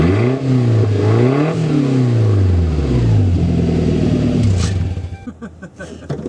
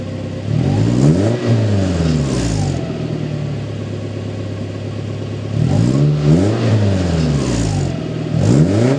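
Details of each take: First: Toyota Tacoma 2.7L 3RZ with 2-inch exhaust, on a cool day, muffler cut off before fitting a Thrush glasspack; loud raw open-exhaust bark through throttle blips. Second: Toyota Tacoma 2.7L 3RZ after installing a 2-inch ID Thrush glasspack in place of the stock muffler, rev test: two clean blips with a deeper, throatier exhaust tone and no rattles or knocks; normal exhaust note, not that loud.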